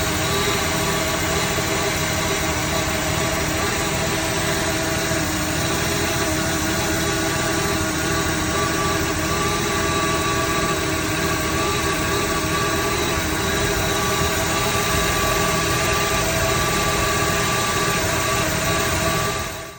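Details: 1974 Dodge Dart petrol engine at idle with an uneven, stumbling beat, a misfire breaking its rhythm.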